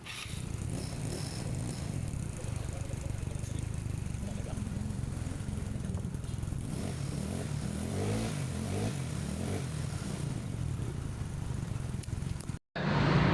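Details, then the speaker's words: Carburetted Yamaha Mio/Honda Beat-type scooter after repair: worn carb slide (vacuum) needle shimmed back up with a piece of fuel drain hose; low, even putter, steady beat, no stumble or surging, power restored; normal running. "Udah mulai aus, dia jadi ke bawah, gasnya jadi berat nih. Sekarang udah beres ya, udah normal, udah pokoknya bagus."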